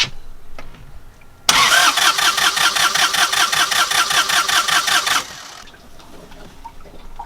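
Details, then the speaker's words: Northern Lights 12kW diesel genset after cylinder head replacement, bleeding fuel with injector lines loosened: starter cranks steadily at about 2.5 compression pulses per second without firing; air in injector lines, little fuel reaching them yet. "so we've got a little bit of bubbling fuel there it's pretty good so what i'm going to do is put a rag underneath them but there's still not very much fuel coming out of that one yet"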